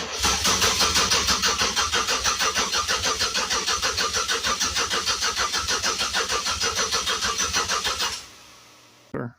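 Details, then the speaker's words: Budget project car during wiring, crank attempts: steady slow starter cranking about three pulses a second, never fires; no RPM signal though crank sensor plugged in, suspected weak battery not spinning it fast enough, possibly scanner fault. "don't look like we're getting an RPM signal, which the crank sensor is plugged in. may not be spinning over fast enough. It's just battery's kind of weak."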